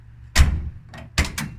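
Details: 1981 Mustang notchback door with a brand-new door seal: one deep, solid thunk then a lighter latch click, much more solid than before the seal was replaced; the door closes firmly and seals well.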